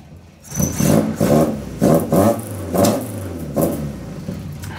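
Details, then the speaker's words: Ford Escort Mk2 four-door after exhaust work to make it quieter: rev blips rise and fall with a deep, fairly subdued exhaust note, no rasp or drone, far less obnoxious than before but still a nice noise; normal, healthy exhaust. "yeah way less obnoxious but um yeah still a nice noise"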